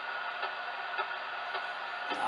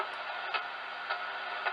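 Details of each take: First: Yaesu FT-891 radio with ATU-100 antenna tuner: sharp, regular ticks about twice a second over receiver hiss, heard across all bands; owner suspects a birdie from the internal circuits, not confirmed. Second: Yaesu FT-891 with ATU-100 automatic antenna tuner: crisp single relay clicks about every half second over a quiet hiss as the tuner steps through its match across bands; normal relay switching during tuning.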